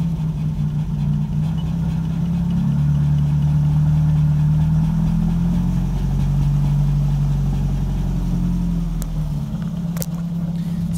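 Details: VW Gol G2 idling while the brake pedal is pumped: low idle rumble climbs noticeably, settles, then climbs again; faulty vacuum brake booster leaking intake vacuum causes idle surge.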